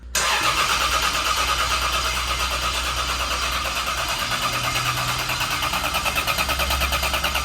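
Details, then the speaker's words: Turbo CT20 Lexus IS300 on its first start attempt after build: steady starter churn about three beats a second, cranks but never fires; no fuel pressure, later traced to a connector left unplugged. "No fuel pressure. The connector's done. It's clicked in."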